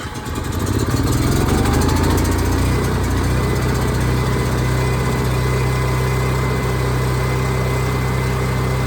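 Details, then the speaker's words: Onan generator started cold without priming after new inline fuel filter filled with fuel; fires quickly and settles into a steady, even beat without stumbling; runs much better now, normal running. "all right well I'm impressed I think it uh I think it runs much better now"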